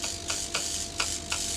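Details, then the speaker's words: 3mm Corflute insulation test, neon sign transformer driven to about 15–16 kV: sharp irregular crackling snaps over buzzing hiss as sparks arc through air almost a centimeter around the sharp edges, nothing through the plastic. "you can see that's uh through the air we've got to break down that almost a centimeter that's very sharp edges there so it's um it'll be wise breaking down so far away but nothing through there"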